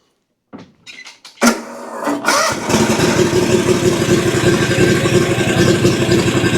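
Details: Exmark Vantage S stand-on mower, Kawasaki FS541V, 1181 hours, found with no oil and just refilled with a new filter. Cranks, catches, then runs rough with irregular pops and stumbles. Suspected excess fuel or a sticking or unsealed valve.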